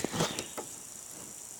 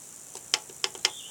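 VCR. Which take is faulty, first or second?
second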